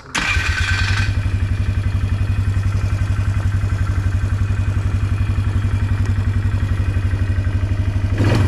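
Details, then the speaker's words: 2005 Polaris Trail Boss 330, long unused, after fitting a new intake boot to fix a leaking boot gasket and reinstalling the carburetor: steady, even small-single idle putter with regular firing, no misses or knocks; normal idle, may only need minor mixture/idle adjustment. "maybe use a little bit of a mixture screw adjustment maybe an idle adjustment but not bad considering it hasn't ran in a lot of years"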